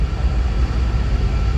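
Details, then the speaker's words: 2001 Chevrolet Tahoe Z71 5.3 with a misfire complaint (coils, wires, plugs already replaced; cause was an injector): deep, even idle, no cylinder misfiring on the graph, no service light; normal idle. "no tenemos ningún cilindro fallando perfecto tampoco tenemos ninguna luz prendida de servicio"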